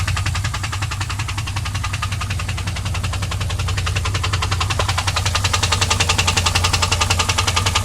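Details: 2001 WS6 LS1 5.7L V8 at idle after running out of oil (pressure dropped from 30 to 0 when shifting) and refilling: steady, even top-end ticking around 160 per minute over a smooth idle; cause unconfirmed.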